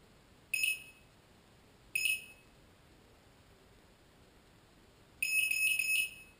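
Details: Lotus T580 quadcopter fault: the motors stop spinning after a few seconds and won't restart, and power cycling doesn't help. Shrill warning beeps follow, short, short, then a longer run of three, and the flight controller's blue LED goes off at the last three beeps.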